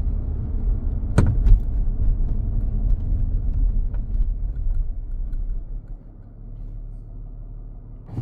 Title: 2016 Jaguar F-Type V6 S clunk knock noise center dashboard.